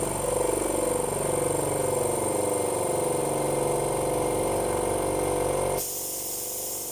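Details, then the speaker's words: 50 L twin air compressor, split air pipe replaced, kicking back in after air use and refilling to 8 bar: steady drone with quick, even piston thump, shuts off cleanly at pressure, normal refill. "So if I squeeze this for about 5 minutes, 2 minutes at least, it should kick back in again, and then saves me sweeping up, I suppose."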